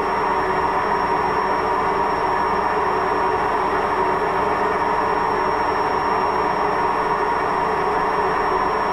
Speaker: Waschmaschine mit Lagerschaden hört sich so an.